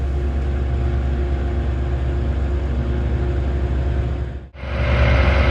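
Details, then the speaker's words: Viair Ultra Duty onboard air compressor on a truck idled up for higher voltage, after replacing its pressure switch because it would not cut off: a steady, low pumping drone, a brief dip then rising load as the tank builds pressure; normal run. "It does pump faster when it's idled up, just because the voltage is higher. I do hear the compressor going. I do have the compressor going."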